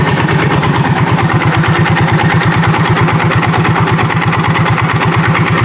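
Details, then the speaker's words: Yamaha Mio J automatic scooter at idle: rough rattly knocking that fades as the throttle is slowly opened; failed starter one-way clutch, not the bottom end. "Jadi karena ketika kita tarik gasnya, kalau kita tarik gasnya perlahan, idle-nya, dia suaranya semakin lama semakin hilang ya."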